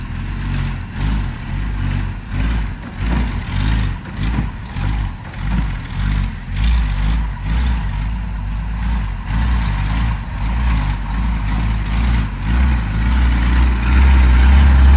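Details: Ex-Australian Army International ACCO 6x6 truck with a Perkins 6354 diesel, just started after bleeding air from the fuel lines: deep regular clatter about two beats a second, then smoothing and rising slightly; normal idle.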